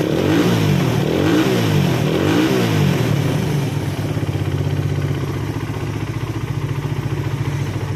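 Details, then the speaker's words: Suzuki Satria FU after cam timing chain replacement and a manually adjusted tensioner, being set with the lower nut: throttle blips rise and fall cleanly, then an even steady idle with no rattle; cam chain sounds properly tensioned. "okay, for the sound to sound smooth and this is for setting the keteng, we can tighten the nut below, Bro, if this is the right setting, then we will tighten it"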